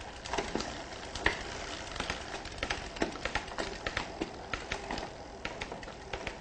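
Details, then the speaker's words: Shimano Dura-Ace 10-speed rear derailleur being indexed, shifted under no load. Freewheel ticking with a crisp click at each change as the chain steps across the cogs: indexing shifts cleanly. "and that's it very simply very easily indexing works"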